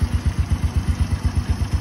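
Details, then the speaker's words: Original 110cc motorcycle engine at idle, recorded close to the engine head: a low, even thump at about eight beats a second with nothing clattering on top. The engine is described as very quiet, with a smooth clutch and gears. "Máy im đi luôn này, rất là êm. Máy này là ra máy đẹp anh em nhé, máy êm, côn số mượt, chạy nhẹ"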